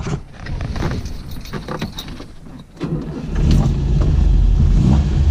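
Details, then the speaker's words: 1967 Volvo 1800S starting up, expected to idle around 1,100 rpm: some clatter, then it catches after about three seconds and settles into a steady, low, even rumble; normal start. "okay I'm gonna fire it up as well so you guys can hear"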